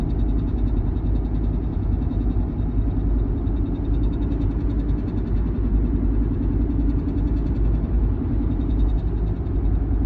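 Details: 1-year-old Porsche Macan: loud, continuous low rumble with a faint fine buzz on top, steady throughout; abnormal rumble, source unknown.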